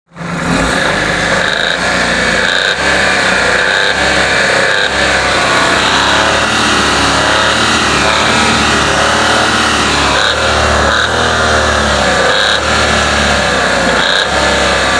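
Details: Engine running loud with a dull, deep knock under the revs; suspected crankshaft (bottom-end) knock from worn crankshaft bearings, not confirmed.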